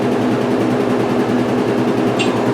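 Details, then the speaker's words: 1996 Maytag Dependable Care Plus top-load washer after load rebalanced; loud even rumbling spin with steady rhythm, no heavy thumping; balanced spin, normal. "now it's really where it needs to be that's what it should have been doing the first time much better balance yes this is how it normally is"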